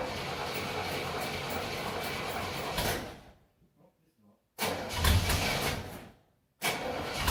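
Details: 1969 Chevelle Malibu cold start after being parked several months over winter: engine catches and runs roughly a few seconds, dies, then restarts and stumbles again; hard starting when cold.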